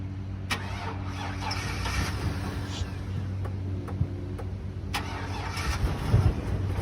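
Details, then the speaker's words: 2003 GMC Savana van (auction lot 30), sat unused since a 2020 inspection, started on its own but cut off while backing: cranks, catches, then settles into an uneven, lumpy idle with irregular stumbles. Running very rough, cause not confirmed. "All right, moved it forward. She is running very rough, as you ca"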